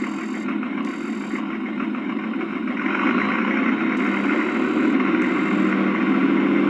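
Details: Accucraft Goose #2 on blocks after the broken drive gear was replaced, chains off, powered up on the rear wheels: even electric motor hum with a smooth gear whir building with speed, no clicks or binding.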